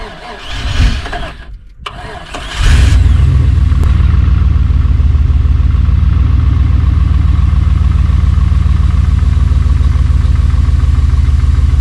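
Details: Buggy's cold start after sitting about 3 months following an overnight swamp burial, jump-started after bad-battery trouble: brief crank, catches and settles into a steady, low, even idle with a regular pulse; warming normally, tune-up planned.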